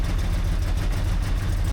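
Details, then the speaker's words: CFMoto Uforce 1000XL first start after CVTech primary clutch removal, RNG/Stingray SRM3-A helix install and belt refit, cover back on. Steady, even low rumble with no knocks or rattles over the CVT: sounds good after reassembly. "Just gonna fire it up, make sure it's not making any weird noises."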